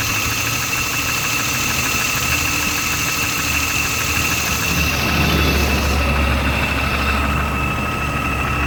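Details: BMW E36 M3 S52 straight-six idling after a top-end rebuild with all new lifters: fast, light ticking about four per second over a steady idle; top-end tick, source not pinned down.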